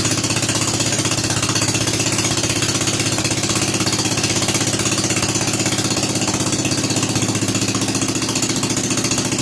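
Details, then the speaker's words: Rebuilt Kohler K241 10 hp single-cylinder installed in a John Deere 210 garden tractor, no muffler, restarted after priming carburetor: steady, even, hard-edged thumping, no misses or knocks; normal running. "let's ship a little in the carburetor and start it up again all right we're making progress now ready fire"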